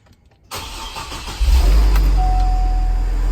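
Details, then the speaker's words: Hummer H3 after replacing a flat battery with a new Century 67MF: starter spins about a second, engine catches cleanly and settles into a smooth, even idle; starts normally, no problems. "No problems at all."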